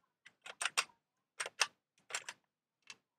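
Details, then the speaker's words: Microscope from OLX, described as dropped several times, head shaken by hand: sharp irregular clicking bursts, something loose rattling inside; cause not confirmed. "czy coś lata w środku Słuchajcie uwaga no słychać ewidentnie że coś tam klekocze"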